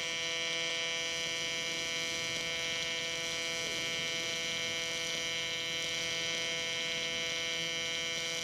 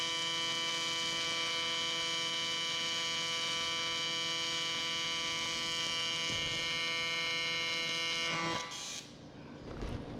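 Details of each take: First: Miller Dynasty 300DX AC TIG welding aluminum: steady high buzz with faint irregular pops because the aluminum is still cold; it needs to heat up more. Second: Miller Dynasty 300DX AC TIG on aluminum with a beginner welding: an even buzz holds steady about eight seconds before the arc cuts off. Earlier popping was blamed on cold metal needing more heat. A normal, stable arc.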